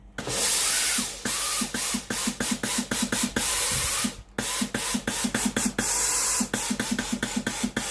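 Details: Philips GC9682/80 steam iron, after relay ALDP124 on the board was replaced to fix the soleplate not heating and water dripping from it: soleplate now hot, quick sharp steam hisses in a rapid series, starting and stopping cleanly; normal steam output.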